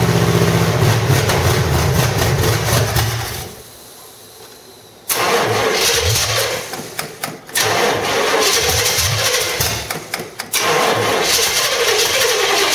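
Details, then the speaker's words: 1985 stepside truck, cammed V8 (said to be a 400 hp Corvette motor) with roller rockers and headers. Loud open exhaust with a lumpy, loping idle and sharp rev blips; audible cam bump, healthy despite a gummed-up carburetor. "but definitely sounds good you can definitely hear a little bump in the cam"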